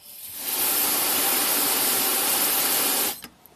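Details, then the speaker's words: 2007 Acura RDX, 2.3L turbo four-cylinder, 210k miles, P2263 boost performance code: shop air fed into the top of the pressure-operated wastegate actuator gives a sharp, steady hiss for about 2.5 seconds as air escapes. The technician is unsure whether this is normal or a leak. "so i have my air nozzle hooked up to the top there and when i give it a little air there's quite a bit of blow-by"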